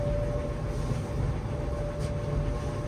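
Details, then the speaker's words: Kenmore 700 Series electric dryer (model 110.68132413) after replacing all six drum rollers and the idler pulley, vent not yet hooked up: steady low drum rumble with an even hum, no squeal; drum rotation normal again. "no more sque it's about $20 worth of parts and off we go"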